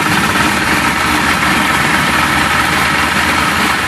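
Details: Johnson 60 HP outboard that had no spark, now running after a dangling ground wire was reconnected, with smoke: loud, steady two-stroke idle with an even burble and no misses or knocks. Normal idle.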